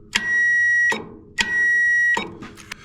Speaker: When you energize the power probe, you get a click and that's connecting the two there.